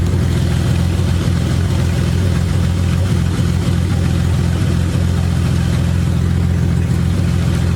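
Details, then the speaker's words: BMW E30 first start-up after exhaust manifold install, open headers with no other exhaust, burble tune: very loud raw deep idle, steady even pulse, no knocks or misses; healthy six, open header exhaust idle. "So as you can see, it's incredibly loud due to the fact that I'm running open headers. There's no exhaust on this car right now besides the headers."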